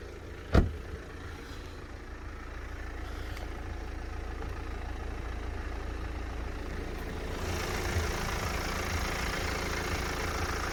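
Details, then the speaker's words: BMW E91 318d Touring diesel at about 160,000 miles, recorded with the bonnet open. After a brief thump it settles to an even idle with no ticking or timing-chain rattle and runs fine. "but you can see in here this runs absolutely fine there's no ticking move away you can hear me there's no ticking there's no sounding of that timing chain problem"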